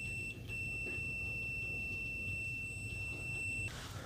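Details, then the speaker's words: ANENG 613 multimeter continuity beeper: steady thin high-pitched beep over three seconds, measured 63.2 dB maximum, not very loud; weak continuity buzzer output. "63.2 DB maximum output in continuity and that my friends is not very loud"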